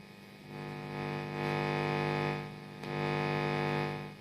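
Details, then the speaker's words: 1990s well-gigged Vox AC30/6TBX powered up with all knobs turned down: a steady low mains hum with a buzzy stack of overtones that swells and fades, plus crackly pots; the amp is noisy, cause not yet found. "It's a bit noisy and we've got some crackly pots and things."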